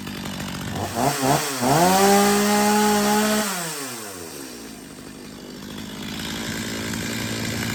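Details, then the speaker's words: Stihl MS250 chainsaw after carb retune (previously warm-restart trouble), warm; two quick blips then a clean steady high rev held over a second, dropping smoothly back; tuner satisfied. "all right I'm pretty satisfied with that uh we'll give it some test Cuts here and some wood just not tonight"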